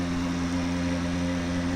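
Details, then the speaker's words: Bosch Silence Plus dishwasher showing error E21: loud, steady droning hum with a rough hiss from the circulation pump, impeller likely damaged; low water pressure, so the pump or impeller needs replacing. "that is the sound when the pump the circular pump is damaged maybe the impeller is damaged so this is the noise"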